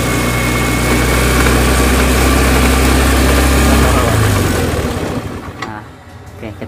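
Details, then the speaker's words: Honda Scoopy FI scooter, idle won't come down even with idle screw fully out: engine holds a fast, steady idle that never settles before switch-off; high idle, later addressed at the ISC sensor. "Kendalanya ngelangsam terus ya. Jadi langsamnya nggak mau turun."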